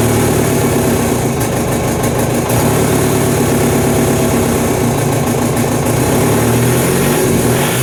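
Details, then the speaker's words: VW MK1 Rabbit with replacement TDI engine, after starter replacement and fuel pump rebuild: irregular metallic rattle over rough diesel clatter, varying with revs; source still unknown, owner doubts fuel pump. Finding: engine rattle. "Well, death rattle is still present, which honestly makes me wonder if I'm looking in the wrong places for it."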